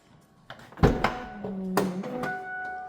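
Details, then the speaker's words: 2007 Mercedes S211 wagon tailgate after replacing the latch that made a grinding noise on opening: two clean solid thunks as it shuts and releases, no grinding; latch working normally. "No noise. This is sounding promising or not sounding promising, I should say. Cool. No more noise."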